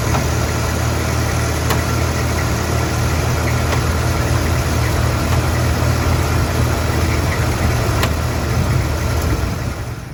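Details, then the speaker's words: Project T-Code after radiator replacement, air bubble in block burped out, fan belt tightened: steady even idle rumble, no knock or belt squeal as heard before; normal idle. "And especially compared to the last video when it was burping, you don't hear it knocking anymore. We had big air bubbling block. Also, I tightened up the fan belt so we don't hear that squealing anymore."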